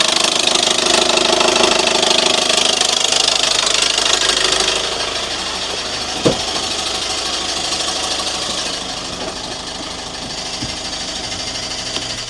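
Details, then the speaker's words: 2014 Audi A1 1.4 TFSI after gearbox replacement, new clutch, drive shafts and oil service, on cold start at idle: harsh metallic clatter about three times a second, easing slightly; owner unsure whether gearbox or new clutch. "Well, that was a cold start. It's a little bit noisy."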